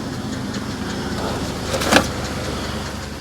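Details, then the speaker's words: 2003 Ford Explorer idling after the tripped inertia switch was reset to cure crank-no-start, left running to charge the battery: steady low idle hum with an even beat, one brief click midway, running cleanly; normal idle. "It was just the inertia switch had been tripped. All right, I'm gonna let that run for a minute and charge our battery."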